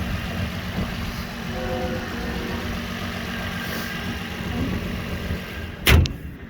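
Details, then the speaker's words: 2004 Nissan Murano engine idling, somewhat dusty engine bay: smooth, even low rumble with no ticks or knocks, door thump near the end; engine sounds good. "Here's the motor. It's a little bit dusty, but it sounds good."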